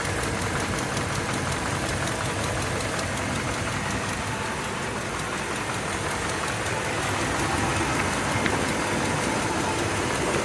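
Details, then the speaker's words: Mopar engine at idle: rough, rhythmic puffing chug about three times a second from a minor, long-standing exhaust leak. "ted over here you hear that there's a chugging noise tells me there's an exhaust leap it's pretty minor and it's been going on ever since we've had it"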